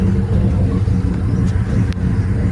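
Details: Rampage boat inboard, likely the port engine, running after the starboard no-start was fixed with a new battery and wiring repairs: deep steady rumble, even firing, no misses or knocks; healthy.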